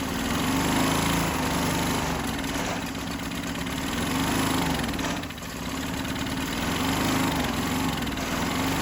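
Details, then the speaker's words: Sears Craftsman 2500 W generator (model 580.327120), Tecumseh OHH60 overhead-valve engine (Craftsman 143.9860033), steady single-cylinder running with slow speed rise and fall and a soft uneven beat; no compression felt on the pull rope, tests about 30 PSI, bogs under load; low compression, valves suspected. "But yeah, this machine there is no detectable compression stroke. Like that rope should get hard to pull at some point and it just doesn't."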